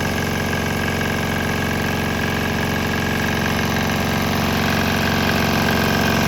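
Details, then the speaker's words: Swan X 165F Chinese single-cylinder diesel on 100% canola fryer oil with a little leftover diesel; steady even thumping with heavy shaking (engine walking on trailer), no misses or stumbles, running normally. "I think I'm still running some of the diesel through it, but there was a little bit of diesel in the tank still below that level, so it wasn't completely gone, but 90% of it was gone, so it's running fine."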